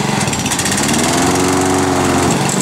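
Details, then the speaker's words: Honda HRD 535 mower, valves adjusted to 0.30: steady drone turning into a rough chattering pulse once the blades engage, abnormal versus its usual sound; it also smoked heavily and struggles in tall grass, cause unconfirmed. "on l'entend quand on enclenche les lames on va entendre une sorte de de son qui fait comme ça"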